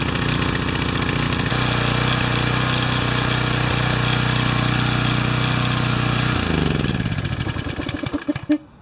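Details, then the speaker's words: Pressure washer small engine with automatic (bimetal-strip) choke, adjusted to sit near opening and run without its cover, runs a bit rough and uneven during a long warm-up as the choke is slow to come off, then the note steps down and dies away. "Wow, that took a long time, didn't it? But it's an automatic choke. It's not a standard choke, so I think we're going to have to let sleeping dogs lie on this one."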